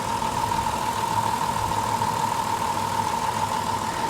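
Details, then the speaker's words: High-mileage (about 300,000 miles) vehicle with third-row seats at idle under the hood; quiet, even idle with a soft steady hum and no knocks or misses, running very well despite a slight misfire noted earlier, possibly low fuel. "she's running very well very well"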